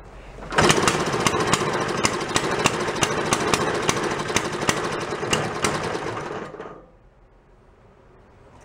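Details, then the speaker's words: Antique Briggs small engine after carb work, fuel turned on, choke off, throttle about a third open: heavy uneven popping about three beats a second for six seconds, then dies; carb bottom wet and dripping, suspected flooding itself running rich. "We'll shut that fuel off. That might be what's causing it though. It's just flooding itself."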